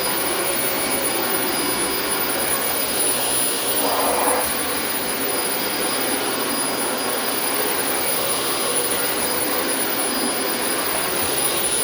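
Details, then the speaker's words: Refurbished Dyson vacuum running on carpet: steady, even motor whine with a constant airy rush, no surging or rattles; healthy and running smoothly. "And how about that for a nice refurbishment, folks? Listen to how nice that sounded and did for us on the carpet here."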